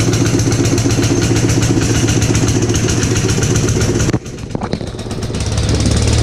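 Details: Gravely Commercial 12 34" Snow Cannon snowblower, cold start after about a month unused, full choke applied by hand: chugging, uneven pops, nearly dies around four seconds then stumbles back up; possibly fuel starvation.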